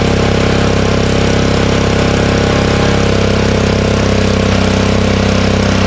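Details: Honda snowblower, first use since last snowstorm, started on choke with fuel shut off to run carburetor dry for storage: loud, steady drone with quick even firing beat, holding speed without stumbling; runs healthy.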